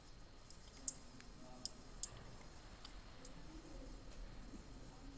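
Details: Car relay on a bench test circuit with switch and light: sharp single clean click each time the switch energizes the coil, then the light turns on; relay pulling in normally.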